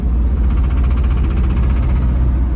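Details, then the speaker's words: 1971 Chevy K20 flatbed, small-block 400, going uphill: loud heavy rapid pounding with rough missing run, sudden clattering; owner suspects severe rod knock. Heavy knocking and misfire. "all of a sudden she started clattering and missing and making all sorts of noise and sounds like a pretty severe rod knock"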